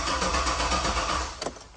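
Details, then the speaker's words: Turbo 6.0 L truck on a new 3-bar speed-density tune, with Walbro 525 pump, 80 lb decapped injectors and return-style rails: starter cranks evenly but it never catches, even with a little throttle. Suspected tune problem, not confirmed. "It's kind of odd that it doesn't even want to offer to start. I wonder what is going on with you. A little bit of gas, nothing."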